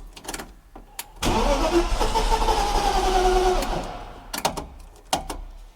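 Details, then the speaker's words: BMW E36 engine just reinstalled after 2 years standing, full fuel tank, coolant not yet added, air mass sensor not connected (owner suspects why): rapid cranking, tries to catch, slightly rough, never runs; crank no start. "H it tries to start but doesn't start Maybe sounds a bit rough but 2 years of standing feels like that"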